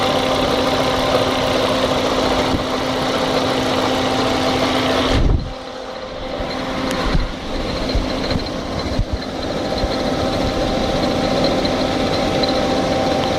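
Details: 1998 Fiat Marea engine at idle: steady hum with an irregular ticking clatter on top, briefly dipping midway; unexplained abnormal mechanical noise.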